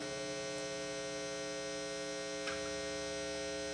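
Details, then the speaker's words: Guitar single-coil pickup in first position, about four feet from soundboard: steady low electrical buzz with even overtones, mains hum that disappears when the guitar is turned 90 degrees; quiet in middle position. "that's the first position now, and you can hear the buzz really well. If I turn 90 degrees, it goes completely away."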